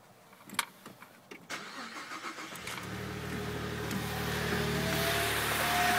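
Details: Saab 9-3 Aero: after a few clicks the engine starts, and a steady high whine rises slightly over the idle. Owner suspects the turbo, not confirmed.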